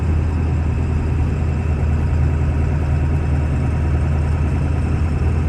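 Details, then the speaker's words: 1997 Ford F-250 with the 7.3 Power Stroke, 125k miles, driving uphill through all gears of the automatic four-speed: deep, steady diesel drone under load, smooth and even, with no knocks, rattles or slipping; smooth shifts, healthy engine and transmission. "we'll take off and head up the hill so we can hear the 7-3 run as well as put the automatic four-speed transmission through all the gears so you can hear for yourself how there's no issues with anything on this truck at all"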